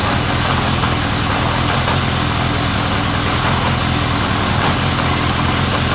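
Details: 1979 Honda CB750 K four-cylinder after carb cleaning, rebuild, bench sync, then vacuum-gauge carb sync and idle knob adjustment: steady, even idle with faint lilt; sync had been out, now smoother with slight cadence; normal idle.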